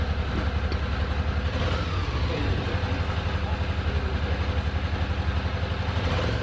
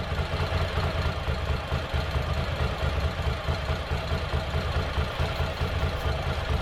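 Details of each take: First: Ducati Monster 800, revived after four years dormant with a new fuel pump and battery: a lumpy, uneven idle chugging on one cylinder. The second cylinder kicks in only when revved, with cause unclear. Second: Ducati Monster 800 revived after four years dormant with new fuel pump and battery, injectors flushed: second cylinder slowly kicks in, giving deep even V-twin idle, both cylinders firing, no misses or knocks; normal idle.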